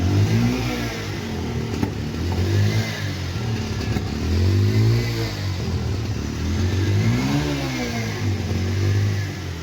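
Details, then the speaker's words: Bajaj Pulsar 125 BS6 motorcycle with starting trouble: engine revs unevenly, stumbling and dying when throttle is given, a misfire traced to a closed-up spark plug gap; sensors and current fine, check light off. "यह starting problem कर रही है और miss firing भी कर रही है। Starting होने के बाद में मिस फायरिंग कर रही है"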